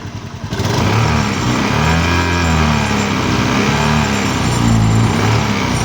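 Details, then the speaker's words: Honda Beat FI (ESP) scooter with a "nger-nger" noise on the right side, caused by loose covers; after tightening, it has an even idle with only a faint vibration buzz and no cover rattle. Normal idle. "enggak masih sedikit teman-teman tapi enggak apa-apa Ya intinya kan sudah ketahuan ya Tapi sih sudah kencang nih teman-teman cuman karena faktor getaran aja ya getaran mesin"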